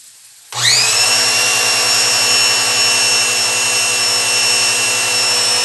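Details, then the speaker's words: Pressure washer with no pressure at the outlet: motor holds a steady high whine with a fast even pulse but builds no pressure. Cause is the pump inlet valve cover, to be replaced. "Eu vou trocar agora a tampa de válvula de entrada, que aqui ela não gera pressão."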